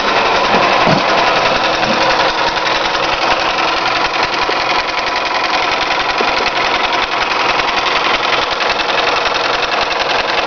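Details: Toyota 5S-FE engine: steady fast metallic ticking knock, roughly three per second, over a busy idle; a knock from inside the engine, source unclear, owner asking for the cause.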